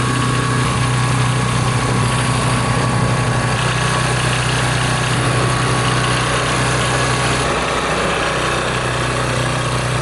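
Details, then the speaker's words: Old Tecumseh 8–10 hp single-cylinder engine on a snowblower after carburetor rebuild, cleaning, adjustment and oil change, primed with controls set to full: steady even beat with no misses or surging; running well after early roughness, probably water, cleared. "This thing runs really good."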